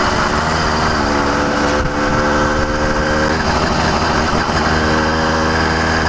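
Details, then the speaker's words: New CDH110 two-stroke (110cc, true 85cc, 52mm iron sleeve) motorized bicycle at part throttle: buzzy steady rasp whose pitch sags and recovers; surging, sounds like an air leak but owner says none, acting lean. "so you hear it surging it sounds like it's maybe an air leak but there is zero air leaks on this motor"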